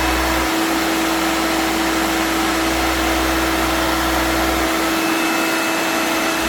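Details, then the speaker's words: Vintage vacuum cleaner switched on with a full bag: steady motor whine whose rumble drops out briefly, as if the motor is stalling or cutting out. Owner wonders whether something is loose; not confirmed. "Okay, so you flick the switch and it'll probably blow all sorts of nasty dust and the remains of the filter out the front. Here you go. I can hear it stalling."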